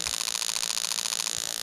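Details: New 1996-97 LS400 1UZ-FE non-VVT-i harness with standard ECU on a 3UZ test engine, microphone close to injectors: fast even train of crisp clicks through the burst; injector firing normally.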